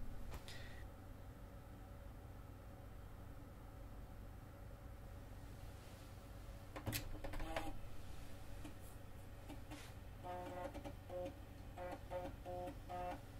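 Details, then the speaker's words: 1989 Macintosh SE/30 after the Seasonic power supply replacement, booting from a real floppy after a restart: low steady fan hum, then rhythmic ticking bursts as the drive head steps and reads. The floppy boot sounds normal. "right so it's booting off the floppy so we can see here that the power supply has basically given this computer new life"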